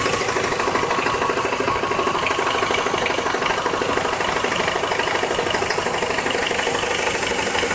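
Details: Car ticking from start until shut-off, heard around the oil pan; light, fairly even tick about three per second over a steady idle; source unknown, owner suspects something loose or the balancer.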